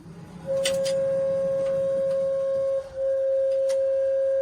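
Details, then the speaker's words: 1957 Chevrolet Bel Air with Holley EFI and Holley in-tank fuel pump plus bypass filter, heard in the cabin at key-on: a steady mid-pitched whine holds level, breaks briefly, then resumes; owner finds the pump noise unacceptably loud. "Okay, that's just unacceptable. I don't want to listen to that. The whole point that I bought the fuel system that I did was to put the pump in the tank so it'd be like a late model car and be quiet."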